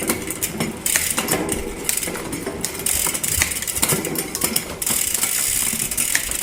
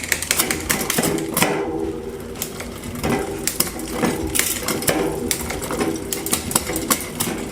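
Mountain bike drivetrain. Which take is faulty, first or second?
first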